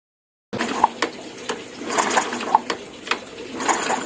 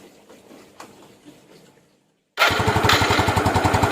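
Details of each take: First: Yamaha Jupiter Z motorcycle that suddenly died with no ignition spark: repeated ratcheting kick-starter clack, engine never fires; pulser reads 220 ohms against a 240-370 ohm spec; faulty pulser coil. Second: Yamaha Jupiter Z with lost ignition (main fault a pulser) running on its stock CDI during testing: fires after a pause and holds crisp regular putter about four beats a second; CDI fine, ignition firing.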